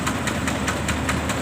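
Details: Farm truck with ET115 single-cylinder diesel, valves just adjusted: steady idle, an even puk-puk beat at about five firing pulses a second, normal.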